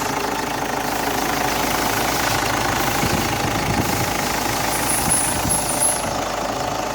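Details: Ford Ranger, about 2007, previously a no-start with code P0340, now repaired and starting at once: steady, even idle with a light mechanical patter and no misses or stumbles; engine runs normally.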